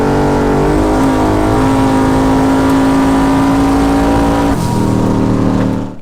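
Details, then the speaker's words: Car at the drag strip, full throttle: engine screams at one flat pitch for over three seconds with no rev drop, transmission failed to upshift; cause unknown; smoke cloud after idling around the shop. "sounds like it didn't shift i'm not sure what's going on with that"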